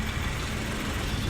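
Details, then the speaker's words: Maruti Suzuki Wagon R K-series petrol (CNG kit, running on petrol), 153,872 km, idling: low, uneven, shaky hunting and vibration, a misfire that stalls at idle and loses pickup; head, valve, guide and seal work planned. "बुरी तरीके से engine इसका hunting कर रहा है vibration कर रहा है"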